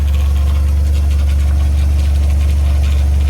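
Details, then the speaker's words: H22 Prelude engine swapped into a 1990–93 Honda Accord, warm with temperature just below half, idling steady at 800–900 rpm after throttle cable reset, down from 1100–1300 rpm bounce; slight power steering pump noise. "take a look at this guys rpms are hovering on 800 900 rpm gas gauge looks correct and temperature gauge is hovering just below half we should be good to go now"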